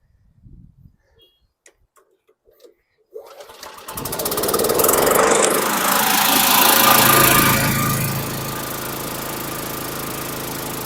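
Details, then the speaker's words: Gravely lawn mower bought at a state college auction, heavily primed, started without touching the driveline; a few pulls then catches, revs and settles into an even beat; probably nothing wrong. "So, right now, I don't see anything wrong with this. So, probably nothing wrong with this."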